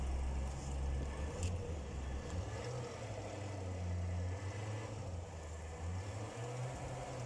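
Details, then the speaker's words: Chevrolet Corvette C7 V8 after replacing all valve lifters (collapsed Active Fuel Management lifter had caused P0300 misfire and valvetrain noise): deep, steady idle, no ticking, misfire or noise. "now the engine is running without any fire and without any noise we have we had a fix"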